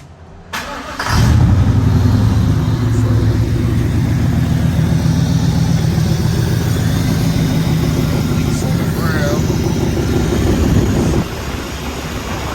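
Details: 1995 Impala SS V8 after replacing the Opti-Spark and refitting the water pump, with no leaks: quick crank, then it catches and settles into a steady, even low rumble with no stumble; normal start and idle.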